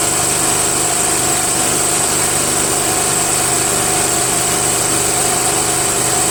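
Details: Murray Select 13.5 riding mower, Briggs & Stratton flathead single after valve grinding and stripped head bolt repair: steady, even putter with no knocks, misses or surging; clean, healthy idle.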